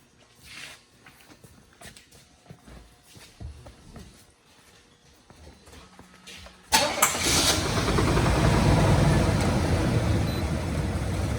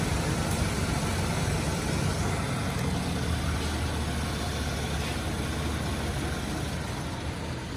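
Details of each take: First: Low-mileage, garage-kept 1985 Pontiac Grand Prix V-6 cold start: catches at about seven seconds, then a rough rapid ticking puff over an otherwise pretty quiet idle. Slight startup knock and exhaust leak. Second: Low-mileage 1985 Pontiac Grand Prix V6, garaged survivor, during pre-purchase inspection: a bit of knock and slight exhaust leak noted on startup, then a low, steady, quiet idle with no ticking or knocking standing out; normal idle.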